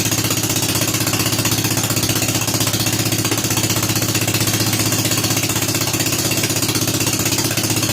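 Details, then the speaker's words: Rebuilt Kohler K241 10 hp single-cylinder installed in a John Deere 210 garden tractor, no muffler, restarted after priming carburetor: loud, crisp firing about three beats a second, even and unbroken; normal running. "let's ship a little in the carburetor and start it up again all right we're making progress now ready fire"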